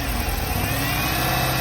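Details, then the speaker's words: 2000 Buick LeSabre or 2012 Chrysler 300 SRT8 (unclear which) petrol engine with the throttle position sensor unplugged (signal 0.04 V): lumpy, stumbling, uneven idle; misfire, running rough. "so again like running my garbage you can hear something that's a misfire"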